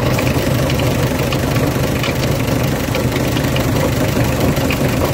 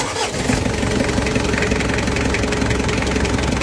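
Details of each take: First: Mitsubishi L300 van idling with a fast, dry rattle from the water pump, whose bearing has broken up, making the engine sound harsher. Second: Mitsubishi L300 diesel after replacing the water pump, whose bearing had failed and rattled: it catches after a brief crank and settles into an even, steady idle with no rumble or squeal; normal idle.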